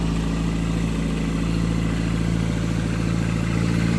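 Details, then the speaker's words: 850 kg Toyota Starlet GT Turbo with a new 3-inch exhaust and a K20 coil pack conversion, cold start with the wastegate refitted: even, steady idle with a regular low pulse and no puffing or ticking; no exhaust leaks, normal idle. "sounds good sounds good yeah this is take two guys um on so the first take was quite loud we were like wrong but I forgot to put the was gate back on so this is round two"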